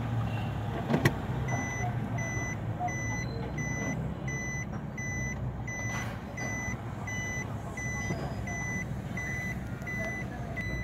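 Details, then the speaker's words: Japanese-market Suzuki Swift automatic idling in reverse after the faulty engine coil was replaced. A reverse beeper chimes about twice a second over a smooth, even idle with no stumble; no misfire now. "बिल्कुल गाड़ी easy है माशाल्लाह, कोई इस time गाड़ी में miss firing नहीं है।"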